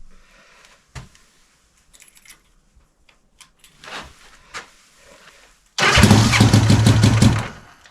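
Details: Honda CB450 Black Bomber, recently revived, started with battery meter attached to check charging (appears to charge poorly); engine catches at once and revs cleanly, starts easily. Earlier run had a suspected slight rattle, cam chain adjustment checked.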